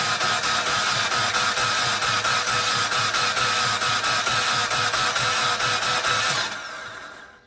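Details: Mitsubishi Outlander 4B12 engine with rocker cover off and battery freshly charged overnight: even, rhythmic cranking that spins freely with camshafts turning (top end not seized), never catches; crank no-start, cause still unknown.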